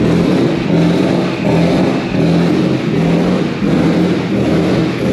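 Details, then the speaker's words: Nissan S15 with swapped VQ35HR engine, different ECU, injectors and tune, turbo kit nearly complete, first start-up: loud, high idle surging about once a second, no leaks; too fast, owner suspects ECU throttle issue, tune, injectors or fuel pump. "but normally it's a little slower it's like this one's like fast so i think it's a pump too yeah yeah so it's probably trying to get some fuel"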